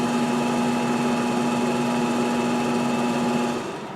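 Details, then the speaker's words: Harbor Freight 12x33 lathe converted to a 2.5 hp treadmill motor with variable speed and reverse, run up to about 1,700 RPM, then switched to reverse; steady, even clean hum, barely humming, winding down smoothly; healthy running. "I can turn it on up there's about 1,700 right there barely huming"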